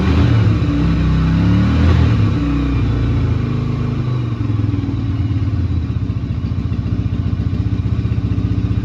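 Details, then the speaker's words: Yamaha Virago XV250 V-twin, bought as a non-runner and off the road since April 2017, started without choke: uneven near-idle beat, flat lazy revving and rough running; owner expects it needs carb work. "Yeah, it's not revving great, but that's to be expected. Probably does want a bit card work really, but at least it runs, you know."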